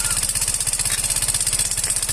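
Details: Yamaha Fino 125 scooter at idle with harsh rapid metallic clatter from the engine top end, confirmed not the CVT. No history of low oil or late oil changes. Valve train clatter from a faulty decompressor.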